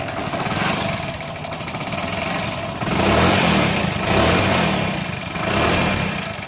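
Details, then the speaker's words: Hero Honda Splendor Plus single-cylinder before a half-engine (top-end) rebuild has an uneven, lumpy idle with a rough rumble that rises and falls and smokes heavily; worn top end. "तो दोस्त, आपने इस bike की आवाज़ को तो सुन लिया होगा कि ये किस प्रकार से गड़गड़ा कर रही है।"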